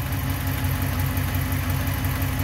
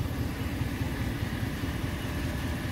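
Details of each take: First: Ram 1500 5.7 Hemi, 51,500 miles, on 5W-20, cold start in about 90-degree Arizona heat: even V8 idle with faint light steady ticking, some fading right away; known Hemi tick since about 20,000 miles, owner thinks partly exhaust. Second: Ram 1500 5.7 Hemi: smooth, even low idle rumble with none of the usual ticking, clanking or rattling; sounds healthy and quiet.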